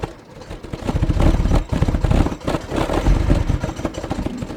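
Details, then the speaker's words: 1997 Jaguar XJ6 X300 3.2 manual that spluttered to a halt mid-journey, on a jump pack, camera behind the car. The starter turns it over in uneven surges with no firing: cranks, won't start. Forums suggest a faulty crankshaft position sensor, not confirmed. "I guess not at the moment so whilst I struggle with getting this car to fire up I'll explain to you all about what this crankshaft position sensor is actually doing"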